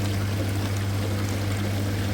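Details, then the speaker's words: Very old General Electric dishwasher, wash motor running after its relay contactor was replaced. A steady low hum under rushing, splashing water with no stutter or grinding as both the upper and lower spray arms spray well. "Now motor already start. Now this one you can see with the high pressure water going to the up louver. This one 2 louvers are there, washing louvers, up louver and down louver. The both working well."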